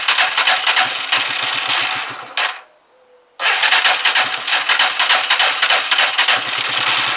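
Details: Huoniao HN125 Chinese motorcycle fired up just after fitting a new carburettor, cold on half choke; engine catches and revs briskly, cuts out briefly, then restarts into a fast, slightly uneven cold run.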